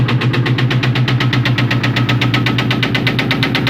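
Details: 2001 Ford Mustang GT: steady rapid knock about four per second over rough idle, following engine speed; owner calls it rod knock, suspected, not confirmed.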